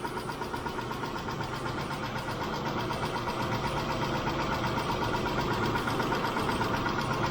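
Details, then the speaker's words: Mitsubishi Montero Sport 6G72 V6 at warm idle after Liqui Moly lifter additive: light steady ticking about four a second; lifters once ticked only cold but since an oil change tick even warm; worn hydraulic lifters. "То есть раньше, когда двигатель был холодным, они стучали, но как только он прогревался, стук прекращался . После добавления масла они продолжали стучать даже при прогретом двигателе."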